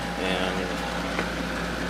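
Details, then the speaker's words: GE 12,400 BTU window air conditioner after running a long while: steady fan rush with constant low hum, no rattles or surging; blowing cold air, plug a little warm but not worrying, working fine. "Plug is getting a little warm, but it's not hot enough to make me worry. So, yeah, it's working just fine."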